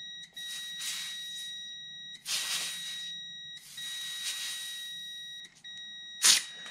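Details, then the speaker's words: 1986 John Deere 330 oil pressure switch removed and tested on a multimeter. The continuity beep holds unbroken through air-hose pressure of about 20 then 40 psi, so the switch stays closed and is faulty. "we can hear that we do have um a completed circuit through there so i'm going to attempt to apply like 20 psi with the air hose to this side of the switch and see if it uh opens the circuit"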